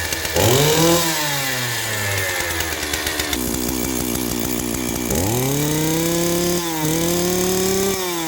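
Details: Stihl 028 AV Wood Boss two-stroke chainsaw, sat an unknown number of years: catches on choke and revs up and down with a crisp buzz rising and falling, settling between blips; running normally.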